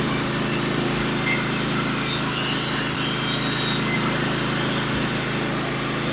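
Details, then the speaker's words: Norwood HD36v2 sawmill with sharpened Stellicut band and new roller guides cutting red oak deck boards: steady engine drone under smooth even blade hiss, teeth engaging evenly, no surging or chatter; normal cut. "the teeth are engaged nice and even beautifully uh it's very very even when I'm running it it it's very predictable"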